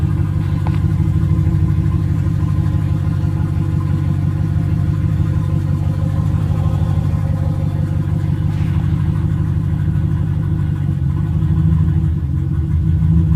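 Smooth steady idle with an even low rumble and no hiss or hunting for the whole run; engine idles normally.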